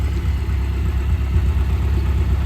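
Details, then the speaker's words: Mazdaspeed 3 after work to cure a cylinder 3 misfire (unsure the coil pack was the cause), warm after boost test drive without hiccups: even steady low idle, no skips, no longer rough; normal idle. "Now it's not running rough anymore. So we'll just I'll take what I can take out of this motor, I guess."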